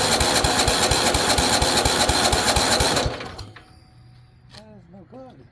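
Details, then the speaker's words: Weed Eater riding mower with Tecumseh OHV130 engine: starter cranks with steady, even compression pulses about two a second for three seconds, never fires; crank-no-start, no spark suspected, possibly a seat safety switch. "so for whatever reason it appears that maybe we have a no spark and you usually happens for a couple different reasons"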